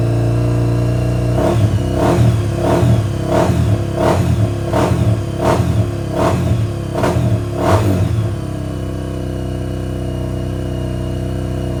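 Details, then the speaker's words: Honda XR400R rebuilt as a 440 big bore, first start after rebuild: single-cylinder idles with sharp pops about every two-thirds of a second when off throttle, backfiring because the pilot circuit runs too lean; carb needs more jetting. "Okay, it started straight off, But as you can hear, as soon as I knock it off chop, it's backfiring, which means it's running too lean on the pilot."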